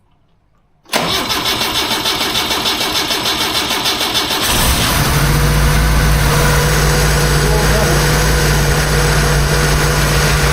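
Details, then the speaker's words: 1976 BMW 2002 with Hot Spark electronic ignition, first start after restoration, not yet warm: starter cranks about 3.5 seconds, then the engine catches and settles into a smooth, quiet, even idle with no knocks or misses. "Heat. That thing's quiet. E, [Music] sounds like a BMW. [Music] We'll let it warm up and maybe then we'll see if it'll settle down. [Music] Sounds like a pretty happy machine."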